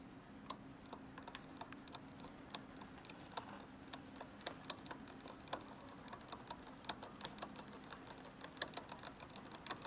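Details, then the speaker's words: 2018 RadRover electric fat bike, rear wheel spun by hand. Sharp, irregular clicks over a quiet freewheel whir from a misadjusted rear derailleur, heard while adjusting it until the clicking stops. "so I adjusted it just so enough it clicks and then what I'm going to do is I'm gonna keep turning the wheel and I'm gonna basically adjust adjust it while I'm turning the wheel until it stops clicking"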